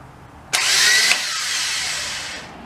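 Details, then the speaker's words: 1997 Subaru Legacy 2.2 with a newly installed Chinese eBay starter, first start by remote: high whir spins up and winds down with no cranking; the starter spins free, and the bendix is suspected of not engaging the flywheel. "all right well it looks like the starter isn't actually engaging you can hear it spinning i don't think the little uh bendix thing is actually shooting out to engage the flywheel which is a problem"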